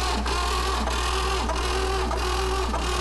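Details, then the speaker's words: Classic VW Beetle engine cranked for last cylinder compression test: even starter cranking with steady pulses about every 0.6 s; reads 120 psi, very little difference between cylinders, healthy and balanced. "120 all right so there's very little difference in between all cylinders which is pretty good"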